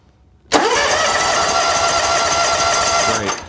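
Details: Lawn tractor/mower cranking during a voltage-drop test from solenoid to starter motor, reading 0.03 V: sharp spin-up then steady even whir under three seconds, no grinding or dragging; healthy cranking, final cable good.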